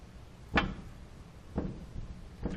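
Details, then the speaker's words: 2004-2014 Ford F-150 front suspension, knuckle levered by hand: three dull clunks about a second apart as the stud and ball deflect in the socket; worn lower ball joint clunk, to be replaced. "and you hear the noise that's where our noise is coming from from on this particular vehicle"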